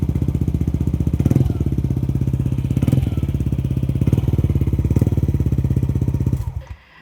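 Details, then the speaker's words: Yamaha NMAX 155 V2 test run after the cleaned magneto was refitted, before the body panels go back on: steady, evenly paced idle pulses with no misses or knocks, then a clean switch-off; running normally. "Bago ko pa nga ibalik ang mga kaha, inuugali ko na talaga na paandarin ang motor or testingin para malaman kung may issue pa ba."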